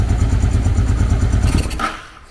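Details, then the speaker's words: 1995 Honda Shadow VLX600 V-twin, neglected for years, no fuel supply: quick even low putting for about two seconds then fades out and dies from lack of gas; runs cleanly while it lasts. "I'm going to start it and see if she there you go she's on she's purring she going to idle for a little bit but she's going to die cuz she's got no gas"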